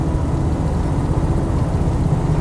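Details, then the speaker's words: Land Rover 90 CSW V8 driving on the road; the car feels solid and planted with no bumps, clunks, squeaks or rattles. Deep, even V8 rumble under steady road load. Normal running. The power steering pump or belt is said to squeal sometimes when stone cold. "bumps clunks squeaks groans or rattles it just feels uh solid well planted"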